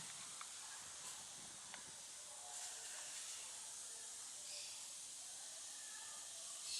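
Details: Laptop after its cooling fan was disassembled and lubricated to cure a disturbing noise: a faint, even airflow hiss with no rattle or grinding as the fan runs quietly and normally.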